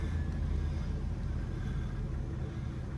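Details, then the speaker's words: 1985 Oldsmobile Toronado Caliente at 46,137 miles, just after starting right up: deep, even rumble at a settled idle with no knocks or misses. A healthy engine. "Again, just 46,137 miles. Starts right up beautifully."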